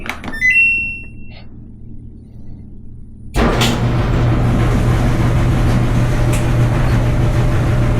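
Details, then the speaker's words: Samsung front-load dryer after heating element replacement, timed dry on medium heat, top cover off: control beeps, a clunk, then smooth, even low tumbling hum with no error code. Normal running. "it is running so that's a good sign it's not throwing any kind of error code"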